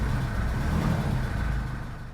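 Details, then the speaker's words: Jeep Liberty 2.8L CRD diesel with only a couple of gallons of fuel starts right up after a Carter in-tank lift pump install to fix air in the fuel. It gives a low, quiet, steady rumble with no stumble or hunting. Normal idle. "And she fires right up. I don't have very much fuel in it right now, only a couple of gallons, but it is registering that we got some fuel in it. Running pretty good, actually. Started right up."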